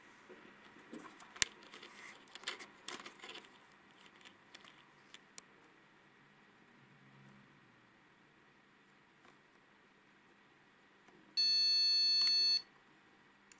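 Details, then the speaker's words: Gigabyte GA-H110-D3A motherboard that keeps rebooting with a black screen and never reaches BIOS: after rustling, a single long high beep of about a second from the board speaker. It indicated a RAM fault, fixed by buying new memory. "долгая короче прыгал пока спикер не Вставил в итоге оказалось что вся причина у нас в оперативке"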